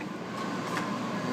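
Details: Home AC system in Tucson, replacing a 1972 furnace, fan-only mode: steady loud rushing air with faint whistle; blower starved of return airflow and working harder than it should.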